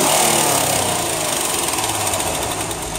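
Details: 2008 Honda Accord Coupe, 3.5L V6 running: fast light ticking nearly four clicks a second, a steady top-end tick that gets louder on acceleration; cause unknown, owner has read it may need a valve adjustment.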